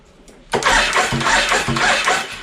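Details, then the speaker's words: Suzuki Intruder VL1500 V-twin after sitting for years: starter catches, then uneven chuffing about two puffs per second without picking up; decompression valve sticking. "oh decompression cylinder sticking again"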